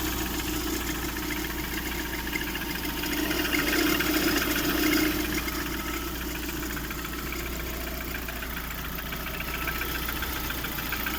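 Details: Lada Priora 16-valve engine idling with a light, fairly even tapping about three or four times a second, like friction near the timing belt; owner unsure of the source, piston knock suspected.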